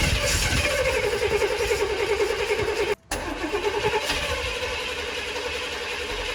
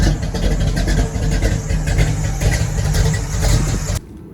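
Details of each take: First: Car just fitted with a new Brawler 650 double-pumper carburetor after the old carb failed. The starter churns at a quick, steady beat but the engine never catches; there is spark, and the spark plugs are clearly fouled. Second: Deep, low rumble holds steady for about four seconds before cutting out, with the car back running after a new Brawler 650 double-pumper carb and new spark plugs. Rpm is unknown with no gauges; the engine idles evenly, normal idle.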